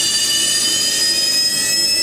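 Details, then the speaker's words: Zanussi ZWF1221W washing machine ramping into a quick spin toward 850 rpm: a steady high motor whine settles as the drum comes up to speed, with only a faint squeak from motor brushes still wearing in; running normally. "Hear the motor. How squeaky the brushes are. See how when they're wearing in. Then they'll get quieter as they get to 850."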